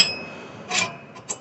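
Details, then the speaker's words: Scotts reel mower during adjustment of the reel-to-bedknife spacing with an 11 mm bolt, turned deliberately too far: short, high metal-on-metal scraping swishes as the blades pass; the reel is set too tight and rubs the bedknife. "So we got it to where it's just kind of rubbing."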